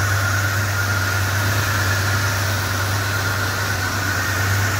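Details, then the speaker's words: Rebuilt Mopar 440 big block, first start after installation, hot idle: steady thin squeal of constant pitch; owner suspects a belt slipping because of water, or a dry bearing. "yeah it sounds like so a belt was really slipping down there probably because of all the water"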